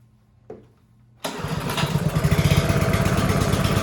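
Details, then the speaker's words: Honda HRB215 push mower stored for years and not running, after a spark plug and gas: one pull, then the single-cylinder engine catches and settles into a steady, even idle; normal idle. "just kidding as you can hear it's running great"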